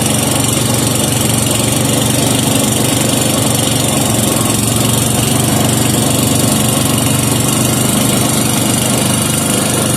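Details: Serviced 5hp Briggs and Stratton with gear reduction, warming up after starting without choke following mixture-screw adjustment: constant even chugging at steady speed, no surging or misfire; healthy normal running.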